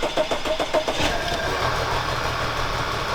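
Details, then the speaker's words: 2011 Audi A4 turbo that was misfiring badly, after replacing the coils: it starts quicker and the misfire is partly fixed, but a rough run with a persistent rattling noise remains. A timing chain guide is suspected. "no it's still making the noise still making that noise the car's screaming at Jeremy I hate this [ __ ] car"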